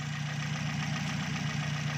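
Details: Toyota Vios that had a rough idle, after the repair including a new filter: the engine idles with an even, low hum and a steady rhythm, with no stumble or misfire.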